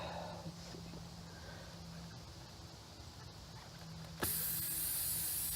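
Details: Car rear passenger tire, wheel removed, as the small bolt causing the puncture is pulled out: a sudden sharp, steady hiss of air escaping before the plug repair.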